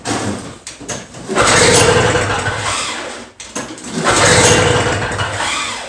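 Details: Two-stroke Toro snow blower, new spark plug fitted, choke out and primed: two long rope pulls spin the engine with a whirring rush but it never catches; no-start from a restricted carburetor jet.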